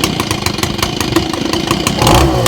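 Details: Old Echo two-stroke blower after repair and reassembly, started with a little choke: quick pull-start rattles, then it catches and holds a steady smooth run, starting easily and running healthy.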